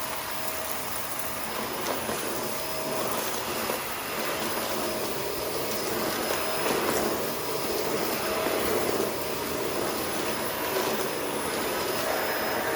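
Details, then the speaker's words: Shark Rotator NV520 vacuum on hard floor, brush roll off, sweeping up a spread-out test mess with empty bin, clean shroud and tapped-out filters: steady shrill, strained motor whine over rushing air; filter found completely clogged afterwards. "So I'll say it did much better this time, but it sounds much more high-pitched. It really does."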